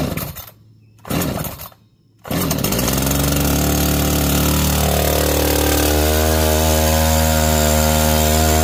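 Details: Echo CS-590 Timber Wolf chainsaw, choke out, after a no-start fixed with a few drops in the cylinder: fires after a couple of pulls and climbs to a steady, even high-pitched drone; runs cleanly.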